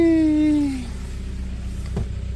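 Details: VW Passat diesel started after standing about two months, with weak old fuel and a poor battery, fuel added and the pump buzzing: the starter whir falls away and the engine finally catches into a low, steady rumble after a hard start.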